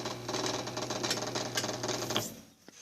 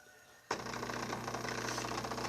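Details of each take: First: Brastemp Ative 11 kg washing machine: steady low mains hum with fast buzzy rattle, then cuts out; motor hums but does not turn; not a bearing, the control board is suspected of not supplying full voltage to the motor. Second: Brastemp Ative 11kg washing machine being tested: a click, then a steady low hum with rushing water as the inlet valve opens and fills normally.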